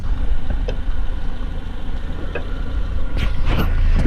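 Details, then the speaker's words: Renault Clio 182 just after timing belt and dephaser replacement, engine idling with the hood open: steady, even low rumble with no knocks or ticks. Smoother and nicer than before the repair; a normal idle. "so it's actually a little bit smoother and nicer"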